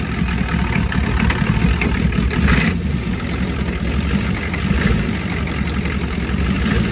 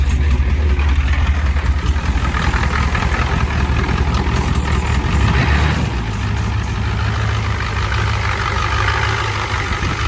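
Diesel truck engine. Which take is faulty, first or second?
second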